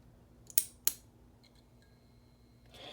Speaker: very nice preheat action and also you can hear the ballast just humming away not sure if you can hear that i sure can